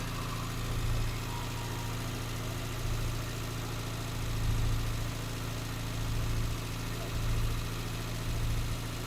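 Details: Morris Minor engine idling after 12 months in storage, air filter being refitted: steady even low idle with gentle rises in level and no knocks, misses or ticks; normal idle.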